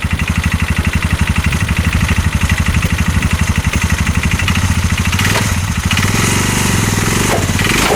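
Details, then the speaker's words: 2022 Massimo T-Boss 750 EFI UTV that a dealership gave up on: heavy knock about four per second when put in gear and driven forward, shaking the whole engine under load; CV axles and U-joint checked tight, source unknown. "that sounds absolutely awful I don't want to ride it too much like that it's just shaking the whole engine when I do it I can hear it just knock and knock"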